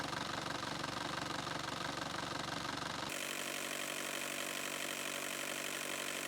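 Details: Chevrolet Tavera diesel idling with radiator flush product added to the coolant, run about 15 minutes until warm: even clatter at about two beats a second, with no misses or knocks. Normal diesel idle.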